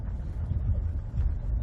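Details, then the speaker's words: Ford front end: only a steady low road rumble, no clunks or knocks over bumps; quiet, tight front suspension. "and then vehicle I mean I am not hearing anything nothing that was pretty pretty good"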